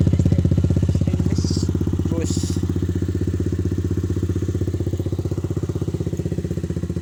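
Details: Engine idling after fitting a new carburetor: even, regular low thump at steady idle with no skips or stumbles; no longer misfiring, runs normally.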